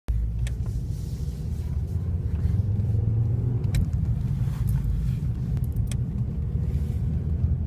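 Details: Ford Focus ST cold: scattered sharp knocks over a deep, steady rumble while turning left.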